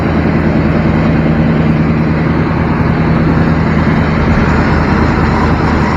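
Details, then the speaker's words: Used square-body Chevy truck at idle on first start during pre-purchase check, AC compressor missing: deep, steady rumble with throaty growl and no knocks or taps; exhaust apparently modified by a previous owner. "yep definitely somebody's messed with the exhaust he's got a little growl"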